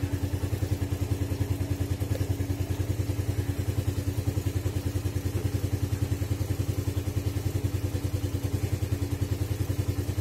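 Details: Suzuki Satria FU single with PE 26 carburetor, cold engine after electric start: steady, even putter about three and a half beats a second, no misses or knocks; healthy cold idle on choke.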